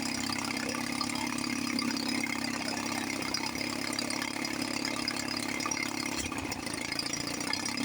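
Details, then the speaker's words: 1954 Johnson 5.5 HP two-stroke outboard after carburetor rebuild, low-speed needle set from 1.5 turns, turned in until RPM rises, then backed off a quarter turn: fast, steady buzz at an even idle with no hunting or misfire; running well. "This motor sounds really good. Unbelievable."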